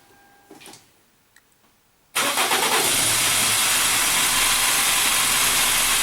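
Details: Toyota Corona Premio with 7A-FE lean-burn engine that "sneezes" at idle, cranked on a Diamag-2 motor tester with a pressure sensor in cylinder 2; cranking at about three beats a second, slightly uneven, pointing to low compression.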